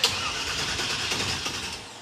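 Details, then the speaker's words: '56 Chevy cranking: the starter spins the engine briskly but it never fires. The crew suspects the mechanical fuel pump can't draw gasoline from the tank because of a subtle wet leak at the fuel filter, possibly a cracked fuel line; fuel starvation. "What we think just happened is that the mechanical fuel pump is not picking up gasoline from the tank because there's a leak right here at the fuel filter, which is really subtle, but if you touch the filter, it's wet."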